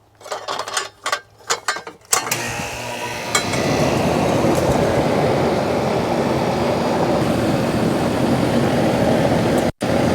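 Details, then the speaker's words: Central AC outdoor condensing unit after replacing fan and compressor capacitors: a few handling knocks, then it starts and settles into a steady, even roar, working normally with 58-degree air inside. "but that should do it all right I think we're good 58 yeah it's working"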